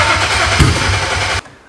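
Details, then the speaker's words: BMW 135i, flood-damaged, sat in a junkyard 8 years, supposedly 11,000 miles. After spark plugs and coil packs refitted it cranks about 1.5 s with steady starter churning but never fires. Fuel gauge bottomed out; owner suspects no fuel or fuel pump. "let's see if we try it again the gas gauge is is bottomed out could technically be out of gas or something could be wrong"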